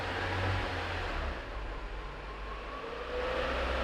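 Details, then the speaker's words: Peugeot 307 after clutch and transmission repair, test in fifth gear: smooth even gearbox hum with a soft rising tone, no grinding or rattle; transmission working normally. "isso aí ó perfeito pode parar a gata ré é isso aí está montado funcionando tudo certinho"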